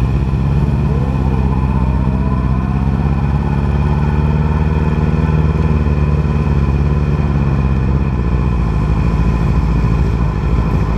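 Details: 2010 R6 four-cylinder revving with a lumpy, uneven drone and a missing beat; misfire found to be bent valves in cylinder 4, leaving the bike running on three cylinders.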